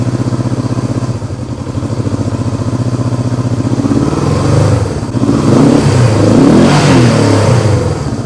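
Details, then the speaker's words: 1971 Honda CB350 twin: it ticks over steadily, then the note swells unevenly as the throttle opens. The throttle linkage is uneven and one side's carburetor doesn't move, so that cylinder lags. The bike was previously claimed to have low compression. "So, right off the bat, we know that the throttle is not even."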